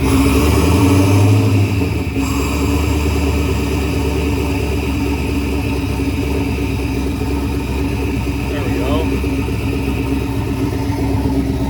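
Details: Turbocharged Chevy S10 starting oddly, likely because a misadjusted idle screw had thrown off the IAC and idle: it catches a bit roughly, then settles into a steady, even idle with a deep exhaust note; fine once the idle was readjusted.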